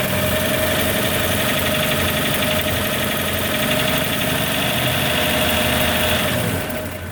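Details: 1941 Chevrolet 216 stovebolt six at idle: fast irregular ticking, roughly four a second, over the engine note; abnormal engine noise, cause not clear.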